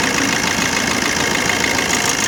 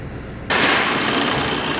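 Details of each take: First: 2013 Maruti Dzire diesel at idle: regular stumble about three beats a second breaking the clatter; DTC P0201, cylinder 1 injector dead because its wiring to the ECM was cut, no continuity. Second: Maruti Dzire 2013 diesel with misfire and DTC P0201, after a temporary jumper fix to the injector wiring: engine catches abruptly and settles into a steady, even idle with no stumbles, misfire gone.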